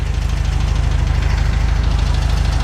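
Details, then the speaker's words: Air-cooled VW Beetle flat-four after oil pump/sump cover work, plug wire firing order corrected: deep, even idle with steady low thumping pulses, no knocks or misses; normal idle. "oh it could also be the uh that sounds better don't it oh Beetlejuice is alive again [Music] well folks sounds like a VW"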